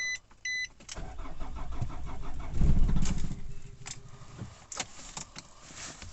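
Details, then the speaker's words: Nissan Navara D40 2.5 dCi diesel, hard to start, low on fuel, codes P1275 fuel pump and P1622: cranks and catches, runs rough with whole vehicle shaking for a couple of seconds, then stalls; cause not yet diagnosed. "So it's starting up, but the whole vehicle is shaking and then it's just stalling out."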